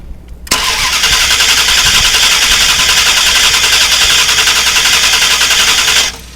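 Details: 2000 Dodge Durango 5.9L V8 with long cranking complaint: steady starter cranking for about five seconds, then stops without catching; crank no-start from a failing ignition coil, fuel pressure 60 settling to 50 psi.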